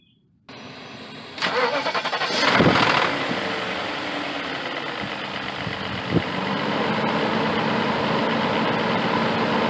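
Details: 2000 BMW E38 740iL M62TU after replacing the main drive belt and A/C belt idler pulleys: cranks, catches and settles into a smooth, quiet idle with no belt squeal or chirp when the A/C kicks in.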